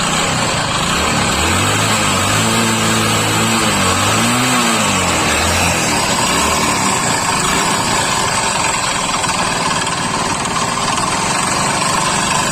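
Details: Old-model Hero Honda Splendor motorcycle engine revs up and down, then holds with a rough, uneven knock down low, as if something is loose inside; a loud crank noise is the complaint. Engine knocking.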